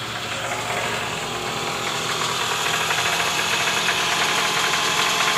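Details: 2009 Toyota Alphard ANH20, 2AZ-FE engine, cold start, heard from below near the oil pan: harsh, uneven knocking rattle even in neutral at idle, easing when warm; balancer shaft worn, loose at gear no. 1.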